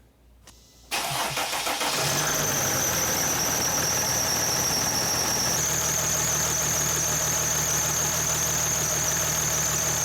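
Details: Mercedes/Dodge Sprinter diesel after thermostat replacement and coolant refill: short crank, catches and settles into a steady, even idle with a constant high whistle over it; starts and runs normally, no leaks at housing.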